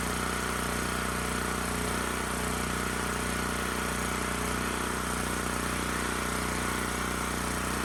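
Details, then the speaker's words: Titan TG8000Z 8000 W generator, sold as running only on starting fluid, now running after spark plug boot suspected not engaging: steady drone with slow rise and fall in speed; a little surgey, especially under load, despite carb. "so huh it is a little surgey especially when under load which is surprising given what i saw in that carb"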